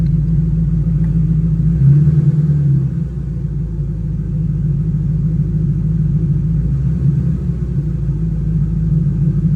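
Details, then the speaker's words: 2010 Mustang GT 3V with ON3 turbo kit, idling cold while warming up: a deep, lumpy V8 rumble holding steady with no knocks or ticks. Healthy warm-up idle. "It's been cold a couple mornings here lately. But anyway, she's warming up now."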